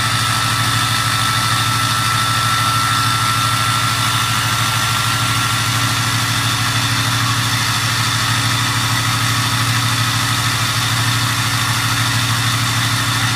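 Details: 2006 6.0 diesel fitted with an 03 turbo at high idle: steady thin whistle over an even engine note; normal turbo whistle.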